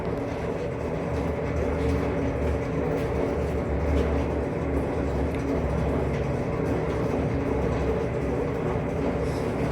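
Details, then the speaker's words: Old 1975 Delta at idle after fitting a new alternator bracket, brace to engine not yet installed: even steady low rumble, belt tight with no squeal or chirp; no belt slip, alternator drive clean. "But right now, we done already crunk up the car. It's sturdy, the belt, nothing slipping, everything look good."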